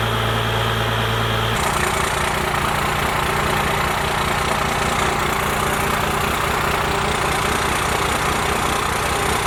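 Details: First-gen Cummins diesel, 4-inch straight pipe, timing advanced and idle speed raised: steady, even idle with a firm low rumble, no misses or knocks; the idle speed sounds properly set.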